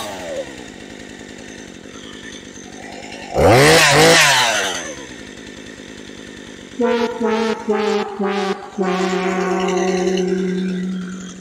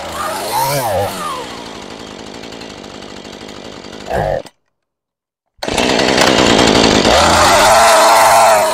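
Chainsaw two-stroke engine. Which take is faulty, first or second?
first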